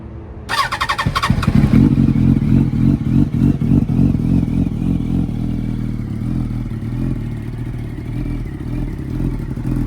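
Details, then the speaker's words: Yamaha R1 with Delkevic half-system, stock headers, cat delete, dB killer removed, in neutral, ridden earlier and left to cool a couple hours: sharp start then loud choppy idle pulsing and never settling; irregular idle, cause unconfirmed. "Does idle a little weird now that I put these pipes on. I'm not gonna lie, it probably needs like a little tube or something."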